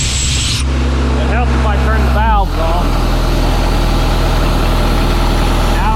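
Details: 1997 Sullair air compressor with a diesel and a John Deere reman injection pump, started on crank start after sitting in an auction lot with a possibly weak battery: brief cranking, then a steady, even low idle with no knocks or misses; healthy.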